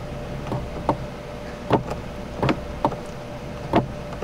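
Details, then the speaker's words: Kia Telluride sunroof that jumped its track after a broken wind deflector: it opens fully but won't close, giving a soft motor hum with irregular clacks about every second as it strains without moving. Mechanism off track. "So, it will open all the way. And I don't know if it's binding in there or what's going on. It sounds like it's wanting to close, but it's not."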